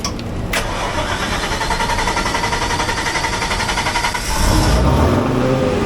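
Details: Diesel generator at a Manhattan utility area, started on second try after checking oil level full: catches after brief crank, settles into steady even idle with light patter; runs clean and healthy.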